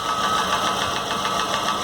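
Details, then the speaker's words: Chevrolet Corsa (Montana front) at steady idle: a light, quick metallic tapping from the cylinder head that sounds like the camshaft rather than tappets, though up close it first seemed to come from the bottom end; camshaft tapping noise. "mas a princípio quando você encosta o barulho povo do perto ele parece ser um barulho na parte de baixo mas aí o que acontece eu vou chegar pra vocês viram"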